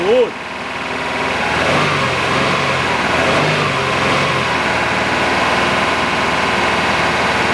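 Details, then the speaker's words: Subaru RS Liberty AWD turbo manual, parked 10 years, after running on poured fuel to heat-cycle it. Couple of light blips, then a smooth, even idle with no miss or stumble. Injectors now working with fuel pressure through them; normal idle. "that's good we're golden guys right on that's us injectors are working we just had to get it happening get it to heat cycle get some pressure running through those injectors and that is what we have done"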